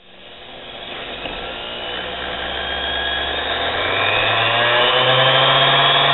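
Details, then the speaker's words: Nano lathe motor under 1/4 hp, high rpm, run with no load after the belt is removed: rising whine with a rough, scratchy rasp; owner suspects growly bearings. "that Scrapy sounds in the motor s"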